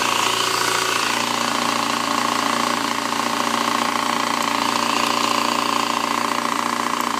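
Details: 2007 Yamaha FZ6 running with fast light ticking, three or four per second: primary gear chatter. Clutch debris wedged between the crankshaft gear and clutch basket gear built up on the gears. A manual cam chain tensioner, valve shims and oil pump chain didn't cure it; a used engine swap did.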